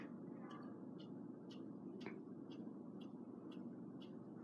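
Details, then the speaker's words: Quorum Chateaux ceiling fan installed in 2005, on low: soft regular ticks about twice a second over a quiet fan whoosh; ticking lessens on medium and rises again on high; cause unknown. "It makes a ticking noise. If you can hear. Let's go ahead and put the fan to medium. The ticking noises go down a bit."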